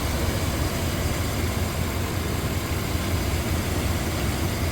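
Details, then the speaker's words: 1997 Chevrolet K1500 Silverado Z71, 5.7L Vortec V8, rebuilt engine, ECU reset while troubleshooting P0137, idling after 20 minutes with AC on: deep, even V8 rumble, steady idle with no hunting; normal idle. "AC is blowing fine engine is running very smooth it's definitely working"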